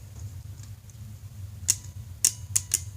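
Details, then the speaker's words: Paramotor dual-pole dual-throw relay on the bench, battery-powered through terminal 87: four sharp, crisp clicks as the coil pulls in and releases, showing the relay switching normally. "you can hear the relay clicking. That's the relay clicking, right?"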